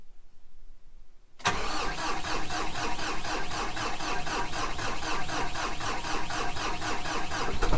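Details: Kubota M15GX diesel, first start after engine rebuild: silence, then catches at once and settles into a steady, even clatter of about four to five beats a second; oil pressure light goes out; healthy start.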